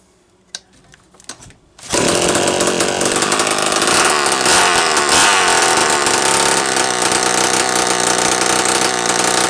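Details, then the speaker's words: Homelite Super 1130G chainsaw, after replacing only the out-of-range, swollen condenser on a no-fire ignition, muffler off: a couple of quiet pulls, then it catches and holds a loud raspy high-rev run, now firing properly. "I didn't change anything else but that damn condenser, guys."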